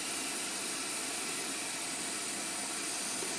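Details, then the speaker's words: 2011 Chevrolet Aveo overheating with code P0599, engine just shut off: steady high steam hiss as coolant blows out of cracked plastic thermostat housing behind thermostat; needs new housing. "so it just started blowing off coolant from somewhere not sure where oh the housing is leaking isn't that special let's shut it off"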